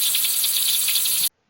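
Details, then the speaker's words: Leaking buried water pipe under an exterior wall, drained and pressurized with air, heard through a leak detector at the leak point: a steady high hiss with a slight flutter that cuts off sharply. "에아를 집어넣어서 누수음이 있거든요. 소리로 듣는데 그거 이제 누수 탐지기로 찾는 건데요."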